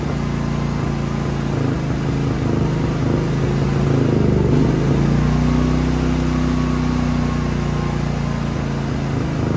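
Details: Genmax GM9000iED inverter generator after ignition module replacement, which did not fix the fault: a steady drone whose tone wavers and drifts instead of holding even. Still running erratically; cause unclear.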